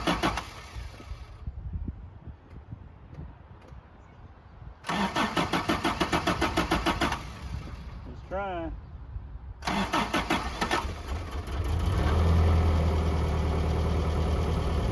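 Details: 1982 Toyota SR5 4x4 truck, previously cranked then cut off, emissions control computer box thought to be the cause; even cranking, catches and settles into smooth steady idle, no misses or knocks; normal start and idle.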